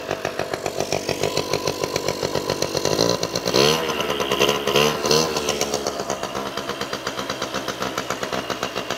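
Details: Rare 1994 Honda EZ90 Cub revived after sitting, with fresh fuel and carb cleaner sprayed in the intake: the small single putters at a steady idle, picks up cleanly on a short rev, then settles back.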